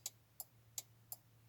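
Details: Audi A4 B5 early prefacelift turn signal relay and hazard switch, working again after cleaning fouled contacts; crisp relay clicks about every third of a second in an even rhythm, flasher relay working normally.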